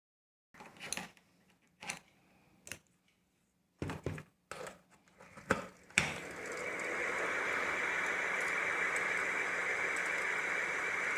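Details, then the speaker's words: Ceiling fan after repair without replacing bearings: after a few handling taps, settles into a smooth steady hum with no knocking or jerking; before repair it clattered and jerked. "दोस्तों पंखा बिल्कुल silent चल रहा है थोड़ा सा भी झटका नहीं ले रहा है"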